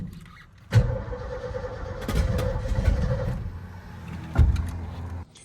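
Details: 1980s Ford F250 big-block, fuel tank off, cranking on starting fluid: cranks, catches with a few ragged bursts, then dies; fires only on the spray, fuel starvation from previous owner's fuel issue suspected, not confirmed.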